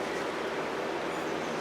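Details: Worn bearings in an older Scotts 1642/1742 mower deck spindle pulley, hand-spun: steady rough gritty whirr; long neglected and noisy, all pulleys noisy.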